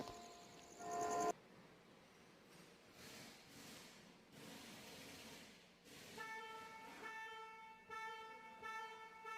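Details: 2023 Hyundai Grand i10 Nios petrol, horn previously stuck on due to improperly fitted ground wire at horn pad bolt, after fix: short clear horn toots, steady pitch, clean start and stop; horn normal.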